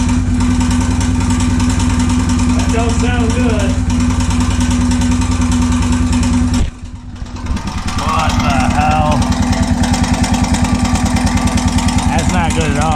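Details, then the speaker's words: Honda 650 motorcycle, unknown year, non-runner with aftermarket Dyna coil and ignition, first start after draining fuel: loud rapid rattling knock about three per second, easing after a dip; owner suspects crank or piston slap; knock then stopped, slight smoke. "all sounds like it's the crank the Piston's got a ton of slap oh just stop that's very odd that's a gnarly noise"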